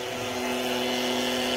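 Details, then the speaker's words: 2008 Ford Fiesta Mk6 oil change, small electric extraction pump sucking oil out through the dipstick tube into a bucket: steady high whine with a gurgling, loaded tone, showing the pickup is drawing oil normally. "you can tell the tone changes on the pump if it's picking up oil or not the noise it's making now would indicate that it is picking"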